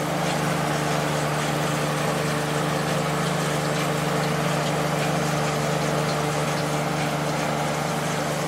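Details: Late-90s Whirlpool Accudry 40-pint dehumidifier (reciprocating compressor, Emerson fan motor), about 10 minutes running: steady, even low hum with constant fan rush, no knocking; evaporator cold with condensation, not frosted; normal operation.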